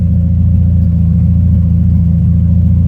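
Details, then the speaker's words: Old junk auction truck after getting it running, nearly out of fuel: steady, even low idle rumble with no knocks, misses or surges; engine sounds smooth and healthy. "listen to it idle guys it's perfect"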